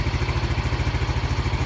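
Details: Yamaha Mio M3 scooter after fixing code 46 charging fault, battery charged and MIL off: an even low putter at about eleven beats a second with no misses or rattles. Normal idle.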